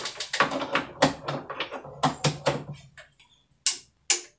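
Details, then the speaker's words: UPS being plugged into mains after battery-only test; two sharp separate relay clicks ("tek-tek") show mains power is in, no more beeping; normal relay click; fault was traced to the battery. "Nah, terdengar tek-tek. Nah, itu tandanya listrik sudah masuk ya."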